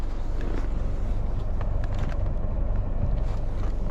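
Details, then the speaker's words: 2013 Toyota Camry after fixing a rattle/knock from the steering column that mimics a bad intermediate shaft: steady low engine hum while the wheel is turned, with no more clicking or tapping. "more noise no more clicking noise so let's see if it makes the rattle when we drive so far so good beautiful"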